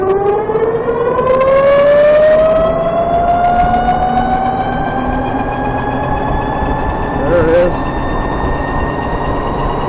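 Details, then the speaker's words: VX1 motorcycle, warmed up, under load: a clear high-pitched transmission chirp rises steadily with road speed; owner notes it is louder once the transmission is warm and really starts around 30 mph. "Yep, that brought it out. That was another hill, and it was nice and loud, if you can call that nice. It seems like once the transmission is warmed up, it's louder."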